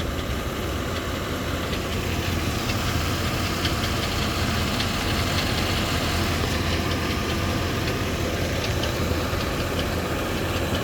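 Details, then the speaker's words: 2011 Ford E350 5.4L V8 van at idle during a pre-purchase inspection, with an incomplete evap readiness monitor: deep even rumble with faint, uneven light knocking, also heard at about 2000 rpm. Engine knock suspected, cause unconfirmed. "all right I heard what kind of sounded like a knocking sound possibly coming from over"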